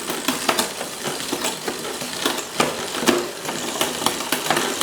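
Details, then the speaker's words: Nearly new road bike whose rear gears shift up the cassette perfectly but come down sluggishly. The chain ticks and clatters irregularly without settling on downshifts, from a damaged, dragging rear gear cable. "It goes up perfectly. Literally perfectly. Then coming down, very sluggish."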